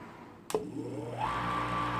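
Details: Eight-year-old Chugger brew pump, after a 3/4-inch Teflon tape fix on the shaft for chattering/cavitation with boiling water, switches on, spins up and runs with a smooth, steady hum without chatter.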